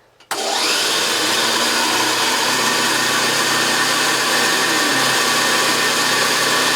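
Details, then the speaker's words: JaxVax Senior upright vacuum after refurbishment, on carpet that dampens brush roll vibration: spins up from silence to a steady even whir with smooth brush roll, no rattles or grinding; running healthy. "It runs like a sewing machine. I can also hear it vibrate the entire floor."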